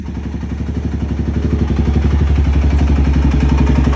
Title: 04 ltz400 knocking noise